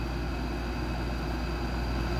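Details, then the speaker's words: West-facing window air conditioner in afternoon sun, 90–95°F, humid, on high set to 70°F, drain plug pulled with condensation still building: smooth, even low drone, steady fan whoosh and faint constant tone; healthy running. "some might say that this thing is working harder especially now that i have it on high and set to 70 degrees which means that it kicks off at 68 degrees oh no it's working harder"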